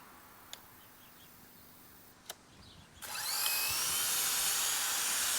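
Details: Pressure washer powered from an old Honda generator, switched on after resetting: quiet, then a sudden steady high hiss and motor whine that holds evenly; starts and runs smoothly with no faltering.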